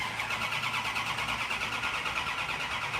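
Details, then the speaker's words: Car brought in for work cranks steadily at about three beats a second without catching while fuel is pumped up to dry carbs; it seemed to want to fire on the first crank, and spark is also wondered about as a possible fault. "but I I'm gonna have to uh I'm gonna have to crank it to bring the fuel up well give it time give it time"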